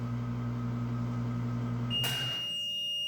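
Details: 12 kg automatic washing machine showing LE error: steady motor hum stops and one long high beep holds; washer throwing LE error, cause not confirmed.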